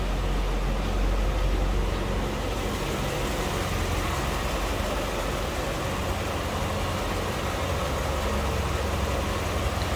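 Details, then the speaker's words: 1995 Chevrolet Corvette C4 convertible, apparently stock 350 V8, idling near the engine bay: steady, smooth, even low drone with no ticks, knocks or stumbles; normal healthy idle. "hear it run sounds like a stock C4 to me I haven't noticed any major modifications on this"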